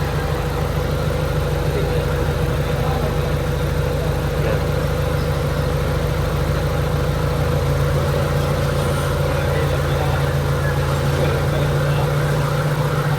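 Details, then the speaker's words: Honda Civic EK, warm, AC on, idle air increased after slow recovery under aircon load: steady, smooth low hum without hunting or misses; idle now normal. "Matagal ang recovery niya. Dagdagan natin natin ng paraver allr ganda na ng menor. Ayan oh. Sobrang tining"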